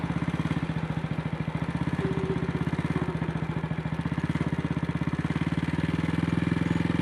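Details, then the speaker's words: AJS single-cylinder motorcycle at light throttle in second gear: uneven, stumbling thump around three beats a second with dropped beats. It is misfiring, and the throttle still sticks despite the carburetor slide being cleaned and the cable rerouted. "sunny Saturday morning. Forecast is alright this morning and horrible tomorrow, and this bike is misfiring."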